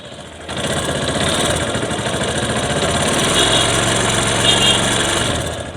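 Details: Bajaj Discover 135 motorcycle with high fuel consumption; uneven, loping idle with irregular beats near three per second over a raspy exhaust, misfiring from a fouled, carbon-blackened spark plug.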